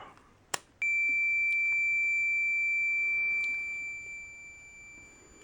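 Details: Fluke 10 multimeter on continuity beep-test for automotive fuse testing, decade box at zero: after a click, a clean steady high beep lasts about three seconds and fades. It reads the test-lead resistance as continuity.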